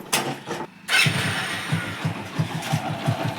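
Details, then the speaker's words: Old-model Splendor Pro 100cc motorcycle after timing chain adjusted for noise when warm: after a brief start, a steady even putter of about three beats a second with no rattle; timing chain noise gone, healthy idle. "आप अब गाड़ी की जो timing की आवाज आ रही थी वह नहीं आ रही है"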